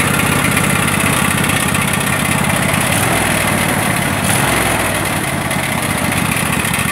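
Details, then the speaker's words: Craftsman DLT3000 riding mower single-cylinder engine after replacing backfire prevention solenoid, main jet, fuel lines and tank grommet from ethanol fuel damage: steady even beat, no misses, smoking a bit; normal running. "it the most craftsman runs doesn't run too bad is smoking there a bit"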